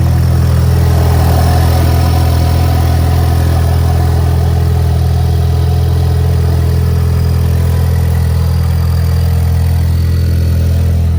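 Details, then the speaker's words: Ford Mustang EcoBoost at idle: loud, deep, even rumble with a hollow, boomy edge, noticeably deeper than normal, with fuel smell near the turbo in the engine bay; exhaust leaking at a separated downpipe connection. "a lot it's a lot deeper a lot more rumbly so to speak and I can really smell the fuel burning"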